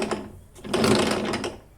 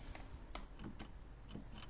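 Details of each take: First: Ginge Classic lawn mower (Loncin engine), left wheel turned by hand: light, uneven clicking and scraping; left axle to gearbox doesn't turn while right does; sprocket spins freely as drive ratchet is packed with dirt and not engaging. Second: Ginge Classic lawn mower (Loncin engine) drive wheel after cleaning packed dirt out of the ratchet and lubing it: crisp, evenly spaced clicks about twice a second, no grinding; spring now engaging cleanly, normal ratchet.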